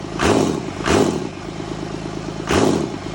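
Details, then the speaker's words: First startup of a freshly mounted Cummins inline-six diesel in an F450 truck: steady idle with firm low rumble, light injector clatter and a few throttle blips; starts quickly, runs even and healthy. "got the first fire up on the Cummins last night, mounted in the truck, and it sounds really, really good. It's really peppy, starts up really quick. It sounds like a beast."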